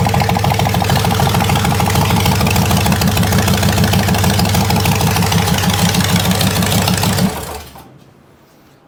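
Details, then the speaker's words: Buick 401 nailhead V8 in a rail dragster on its first drive. Loud rough running with a heavy regular knock about three a second at steady speed until shutdown; rod knock, with a rod striking the oil pan. "got a rod knock in it foreign 's knocking she is knocking you hear that well that's not good it definitely has a knock knock that's not good at all bro"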